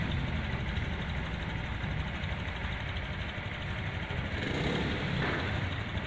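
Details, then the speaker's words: Honda Scoopy 2021 scooter after an engine teardown and reassembly, standard Honda automatic idle 1600–1700 rpm: low, steady, smooth idle with no knocks, ticks or rattles; normal idle. "Oke teman-teman ini setelah selesai dilakukan perakitan untuk Scoopy 2021 nya itu halus teman-teman ya untuk RPM standar motor matic Honda itu 1600-1700 FM dengarkan teman-teman"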